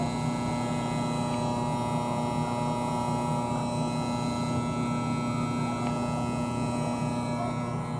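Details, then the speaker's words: Air conditioner condensing unit running and cooling normally: steady electrical buzz with constant pitched hum; stops when pressed down, returns when released; owner suspects loose front grille/cover or fan motor, source unclear. "uh when i push it down a little bit the noise stops when i let go of it the noise comes back on again"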